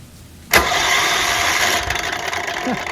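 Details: Free Tecumseh HH60 6HP horizontal-shaft tiller engine, electric start run from a 12-volt jumper pack with the spark plug out: starter whirs fast and free with no chuffing or load pulses, so it cranks without compression.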